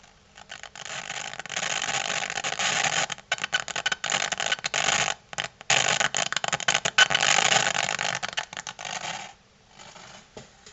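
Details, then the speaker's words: Sony STR-DB940 audio receiver after warming up a couple of minutes: output turns into harsh crackling hiss cutting in and out in ragged bursts; audio heavily corrupted. "um after it's been on and sort of warmed up for a couple of minutes um the you can still get sound out of it but it becomes heavily corrupted with uh with the following noise."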